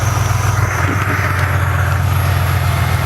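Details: 2005 BMW 645Ci V8 idling after alternator replacement, charging over 14 volts, car had been sitting a while: steady, even low hum with no squeal or rattle; engine sounds healthy and settled.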